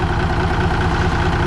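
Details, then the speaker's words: 1965 Kenworth W900 Cummins diesel, after a new starter and re-running the badly set injector rack: steady, even idle with a smooth low throb, no knocks, misses or white smoke. Normal idle. "sure sounds nice now doesn't it okay we were successful in getting 546 to [Applause] run I'm happy with it now"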